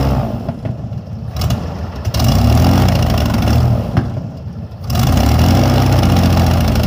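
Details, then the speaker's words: Airboat engine warming up after first fire following sitting: surging, sagging, clattering pulses with dropouts, rough running. Carburetor bottom leaking; owner suspects a dirty bowl or a carb needing rebuild. "maybe the card needs to be rebuilt from sitting yeah maybe the bowl is all full of [ __ ] because I can't see"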